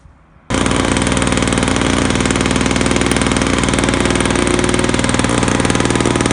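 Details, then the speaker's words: Old Australian-made Victa two-stroke lawn mower, first start after revival, primed with two-stroke fuel: fires at once and settles into a steady, even rattle at constant speed, no stumbling; running healthy. "I think we have ourselves a running old Victa Australian-made mower."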